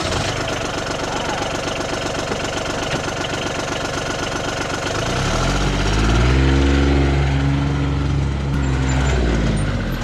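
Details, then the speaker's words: John Deere Gator 850D diesel after fixing no-crank by reconnecting the transmission neutral safety switch, charging OK; steady even idle, then speed rises and settles smoothly with no misses: normal diesel idle. "all right well that's something I think this is fixed let's give it a shot okay contact [Laughter] well get it there and it's charging okay as well"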